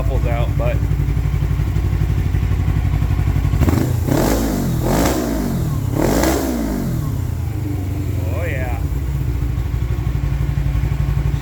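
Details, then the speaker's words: 2007 Suzuki GS500F twin, revived after sitting for months, idles with a steady, even beat and picks up cleanly through three quick throttle blips while warming up, no leaks; runs far better than before; normal idle. "She runs way, way better than it did quite a few months ago. I mean, this is the longest it's ran."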